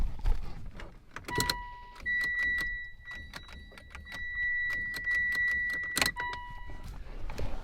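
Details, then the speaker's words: 2008-2015 Mitsubishi Evo X with newly rebuilt engine, first start attempt after fixing a water pump pipe coolant leak: key-on chimes and a few dry clicks but the starter never turns over, like starting without pressing the clutch; no-crank, cause unknown. "basically it's acting like when you try to start a car without putting pushing the clutch that's exactly what's doing"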